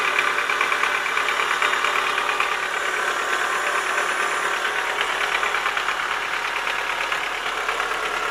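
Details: Chevrolet Lacetti 1.6 at idle: steady, rapid light knock over the engine, hollow tapping of worn pistons in their bores; knock disappeared after boring the block and replacing the pistons.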